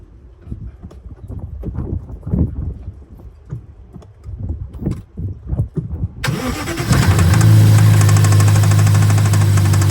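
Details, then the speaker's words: BMW S63B44 4.4 twin-turbo V8 cranks and fires, then idles roughly with a steady, deep knock about four times a second; rod knock from a worn rod bearing. "we got a S63 V8 twin turbo with rod knock."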